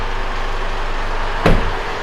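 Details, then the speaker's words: 3.0L four-cylinder turbo diesel with deliberately flattened battery, started using a 700A 15,000mAh portable jump pack: a low rumble, one sharp thump as it catches, then an even idle; clean start, smooth running. "how about that well there you go guys it works and it works pretty well I was pretty surprised with how easily that was able to start the car"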